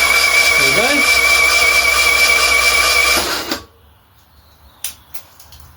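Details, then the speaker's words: Freshly built tuned Fiat 126 engine for a Fiat 500, key starter wired but no ignition yet: fast, even starter whir spinning the engine for about three seconds, cutting cleanly; battery and starter fine, normal cranking. "Safety say there's nothing wrong with that battery or that starter."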